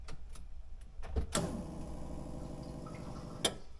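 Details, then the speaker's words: D16-swapped Honda Integra, key forward after new interior wiring harness and fused fuel pump relay: relay clicks then steady low electric hum about two seconds cutting off cleanly; normal fuel pump prime, ECU light on. "we're going to turn the key forward all right I heard the fuel pump the ECU light is on and I'm going to prime it one more time just to make sure"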